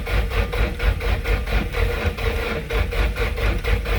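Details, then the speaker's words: 1995 Nissan S14 240SX SR20DET, first crank after engine rebuild, gauge showing 10.5 V: slow laboured churning a few strokes per second, no catch; slow cranking from low battery. "it did sound like it's low in juice though it does yeah i'm only showing 10.5 on the gauge"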